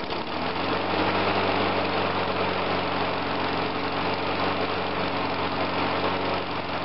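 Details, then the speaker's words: Small single-cylinder engine with a cleaned ignition coil giving a stable ohm reading. It idles with a steady, even putter and no misses or knocks; healthy idle. "and it aisles right away see that's how it should be"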